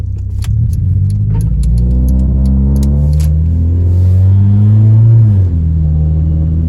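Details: Honda Civic EJ9, automatic, driving POV: engine pulls unevenly under acceleration, drone stumbling and rough, misfires on all four cylinders (codes 71, 72, 73, 74).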